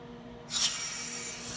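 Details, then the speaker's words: CMM (Crystal Apex 7106) startup, first step turning on the air supply: a sudden steady airy hiss starts and holds evenly with no sputter or pulsing; air supply flowing normally. "You'll hear it running. Um this valve may be shut. It shouldn't be, but it may be. Just make sure you got air coming through it."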